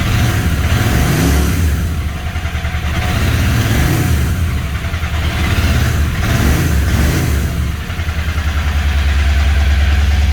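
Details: Royal Enfield Interceptor 650 twin at idle, bike jerking when ridden: low idle with an uneven phat-phat stumble that persists through throttle blips. One cylinder is misfiring.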